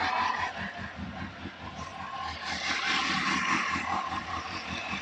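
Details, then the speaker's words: Motorcycle at 54,550 on the clock, sat two and a half to three months through cold spells, idling in neutral in windy conditions: steady, even idle with no knocks or misses. "idol's lovely this i say it's been sat been sat for a good two and a half three months"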